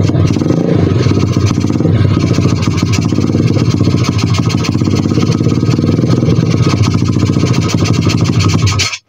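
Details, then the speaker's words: 125 cc pit bike single, after turning idle screw back three turns: rattles along roughly about nine seconds then cuts out abruptly; engine stalls, cause unknown. "Hm. Hnedka chcípá mrdka. Proč? Ale [ __ ] Mrši. No proč? Ale [ __ ] chcípá."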